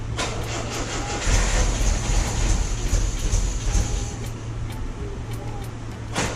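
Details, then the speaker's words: 1974.5 MG MGB with HIF4 carburetors after float replacement for flooding: low uneven idle loping and wavering; incorrect carburetor float height upsetting mixture. "Alright, so we got the car started. It's idling like crap"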